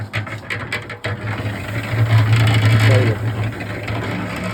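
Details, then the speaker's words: Old electric concrete mixer that hummed but wouldn't start by itself until its capacitor was replaced, now mixing a bucket of corn: firm low mains hum with grain tumbling and rattling about three times a second; normal running. "So I got a capacitor, ordered one off Amazon for like $7 or something, and put it on there, and it works now. It starts right up."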